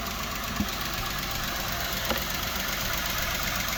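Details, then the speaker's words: 3.6 petrol V6 Jeep Wrangler manual, fine at idle but revs raised: light fast tick about four a second over the engine note from worn hydraulic lifters and rocker arms, common on this engine, risking camshaft damage; lifter tick. "It doesn't actually sound that bad at idle, but if I bring the revs up, what you can hear right now is the hydraulic lifters. This is a common problem with the 3.6 petrol engine."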